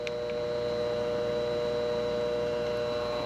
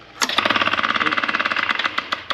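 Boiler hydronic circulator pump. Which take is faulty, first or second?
second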